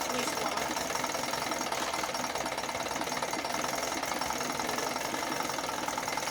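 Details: 1980 Chrysler Sea King 15 hp two-stroke outboard, cold, after replacing ignition coil to cure quarter-to-three-quarter throttle misfire: fast, even buzz with no misses; firing cleanly on both cylinders.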